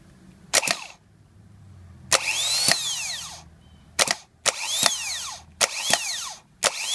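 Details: Bench test of the new replacement starter for a 2010 Toyota Sequoia that clunked but wouldn't crank (old starter's solenoid bad, not engaging): short bursts of high electric whir spinning up and winding down cleanly, evenly; starter works properly.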